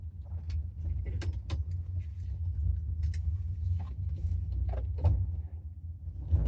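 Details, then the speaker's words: '67 Buick LeSabre V8 while driving to a gas station; deep, lumpy rumble surging and stumbling like four of eight cylinders; choke stuck fully closed, too rich, sooting, then died; rough running from stuck choke. "Um, something's going on with the choke. The choke wanted to be fully closed. So, the car was running too rich and it died and it was making a lot of soot."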